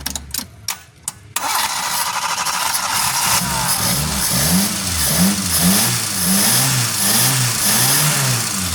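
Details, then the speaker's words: Suzuki Forsa after replacing and cleaning spark plugs and cleaning the carburetor: starts promptly, smooth idle and clean regular rev blips without stumble or misfire; runs healthy. "Beda banget kan, Lur? Setelah kita ganti businya, kita bersihkan businya, kemudian kita bersihkan karburatornya. Suaranya sudah los banget, Lur."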